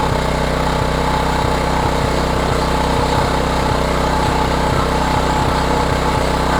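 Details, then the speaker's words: Homelite 3500 W generator after new carburetor and head gasket, running without choke: steady drone with faint, fairly regular stumble about twice a second; sounds like a slight misfire, needs further investigation. "yeah it almost sounds like it has a little bit of a Mist there H maybe requires a little bit further investigation"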